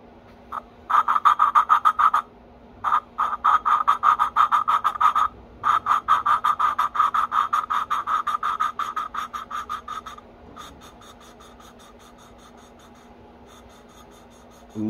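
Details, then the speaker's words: Honda GX160R head, single lapping grind on previously done intake and exhaust valves, stopping once smooth; rhythmic scratchy back-and-forth strokes about three a second, easing off and quieter toward the end, valves lapping in normally. "what that means is I'm going to drop it down grind it and once it's smooth I'm going to stop"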